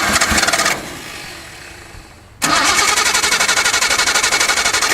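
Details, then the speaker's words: 1972 Datsun 240Z being revived with old plugs and uncleaned carbs, more throttle applied: rough, fast-pulsing run with a skip that cuts out then catches again. It stalls; the cause is unconfirmed. "We got a little skip going on, but like I say, it's got to be expected. The plugs are old, too, so a little bit more throttle here."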